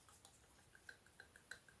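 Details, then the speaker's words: BMW F10 530d N57 diesel, about 165,000 miles: light uneven ticking and clicking as the actuator shaft is worked by hand. The worn shaft catches and won't release freely, a mechanical fault that makes the motor struggle and triggers a drivetrain fault. "This should release freely, it shouldn't catch like that, and it should lock. Can you hear this? I mean, if this shaft is good and new, you will never hear that rattle."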